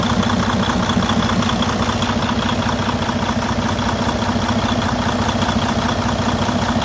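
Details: Freightliner Cascadia DD15 diesel at idle: steady knock with loud rushing hiss of excessive crankcase blowby, compression leak from a broken, cracked cylinder liner.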